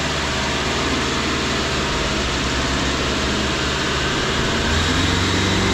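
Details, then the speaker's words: 2013 Subaru running after hub bearing replacement (old cheap bearings failed in about 2 years): steady even drivetrain rush with no droning hum rising with speed; the new hub bearing is quiet and normal. "there it is no more noise okay and that's pretty much it no more noise"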